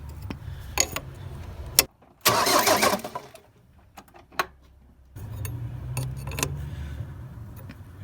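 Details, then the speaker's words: Ford Transit 2.5DI diesel after inlet manifold cleaning, with the high-pressure fuel lines just primed. Starter cranks in steady bursts with pauses and it never fires; air in the injector lines may need bleeding by cracking the injectors. "if there's a little bit of air in here we might just need to let it out by cracking off the injectors"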